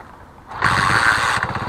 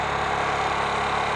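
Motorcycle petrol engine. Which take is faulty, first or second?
second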